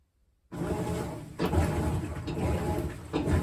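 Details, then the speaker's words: GE top-load washer with lid lock switch removed and bypassed, lid down: after a silent start, a low churning rumble with a loose swish about once a second; washing normally. "Hear it washing. So the machine is moving, the machine is washing the clothes."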